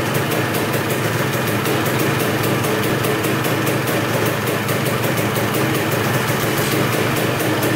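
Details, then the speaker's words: 1986 Honda CR250 two-stroke, sat over five years, running on fresh gas: crisp, steady ringing with a fast even beat and no misses or rattles, no leaks; normal two-stroke idle. "all right well that sounds really good um putting fresh gas in it started right up no leaks whatsoever"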